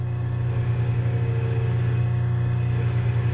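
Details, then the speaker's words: Spare Jabsco pump jury-rigged as the watermaker boost pump on a Lagoon 450 catamaran, before ramping to 800 PSI: a steady low electric drone with slight regular pulsing. Pressure never drops to zero; the pump is working. "It's pulsing a little bit, but it's never going down to zero. So, if we pressurize the high pressure pump, It's working."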